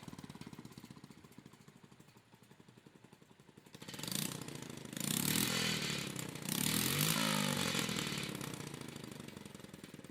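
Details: Honda Monkey Z50J small single, just after engine start, before exhaust leak repair: idles with a fast ticking puff from the exhaust leak and a tinny buzzing rattle from a loose exhaust protector/heat shield.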